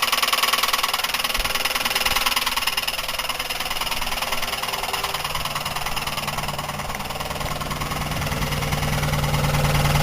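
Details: Buick 3800 at steady idle with a regular deep rod knock about three per second, traced to the wrist pin and piston rather than lifters or bearings; suspected cause is oil starvation or overheating.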